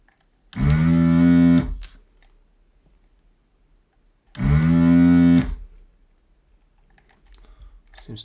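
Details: New desoldering station, second power-up after appearing dead, heating toward 350: two short, even buzzing bursts of about a second each as the vacuum pump kicks in cleanly; normal operation.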